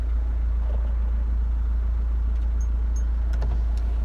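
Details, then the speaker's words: Diesel Chrysler PT Cruiser CRD heard with the windows down: an even, low diesel hum with no knocks or rough patches. The owner says it has been running really well. Normal running. "Just because I love the sound of this thing running. Yes. Perfect. Now put the windows down, you should be able to hear the engine run."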